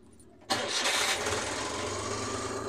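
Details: Suzuki F6A engine, after adding gasoline following a crank-no-start, cranks briefly and catches cleanly about half a second in, settling into a steady idle; normal start after alternator/battery indicator light wiring repair.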